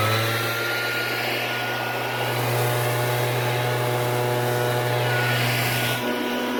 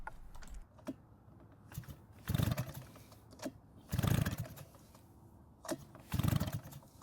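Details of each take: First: Shindaiwa backpack blower, two-cycle engine, after repair of no-start: strong, even high-pitched roar holding steady speed with no surging or misfire; running normally. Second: Shindaiwa backpack blower that won't start, spark confirmed with an inline tester: repeated rope pulls with no catch or firing; a massive intake air leak from a loose intake is stopping it drawing in fuel.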